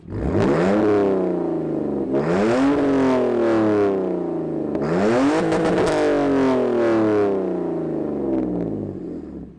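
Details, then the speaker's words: BMW E46 bought used, near stock but straight-piped, engine cover missing: at first start-up, loud raspy exhaust rises in repeated clean, even blips and falls back, no knocks. Healthy start and idle. "hopefully the microphone picked that up pretty well like i said for a pretty much stock bmw that's just straight piped it sounds really good in my opinion"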